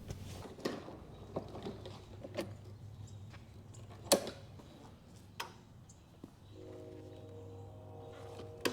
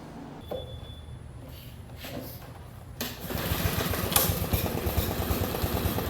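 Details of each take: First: Lawn mower with new Amazon replacement carburetor, fitted with parts from the original Briggs carburetor, gives quiet clicking, then fires up and settles into a steady, even run with no stumbling. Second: Lawn mower just fitted with a new aftermarket Amazon carburetor, other parts mostly new and filters clean: small engine catches but runs unevenly, taking about 20 seconds to pick up rpm, like fuel starvation; cause suspected, not confirmed.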